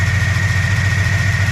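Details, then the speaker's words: 1965 Plymouth V8 automatic idling after oil change and idle mixture screws adjusted (turned out, possibly lean), almost 20 inHg vacuum: low even burble, no misses or stumbles, smooth. "That's pretty smooth. And we got almost 20 inches of mercury. It's smooth."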